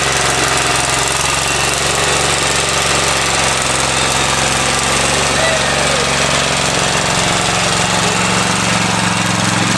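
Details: Free Craftsman riding mower, previously said not to run, owner found battery issue; steady even single-cylinder drone at constant pitch, no misses or knocks, before fuel drain and oil change; normal running.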